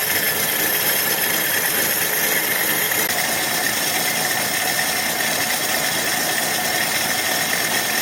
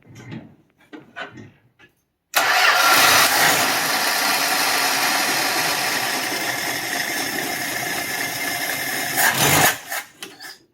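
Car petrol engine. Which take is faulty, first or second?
second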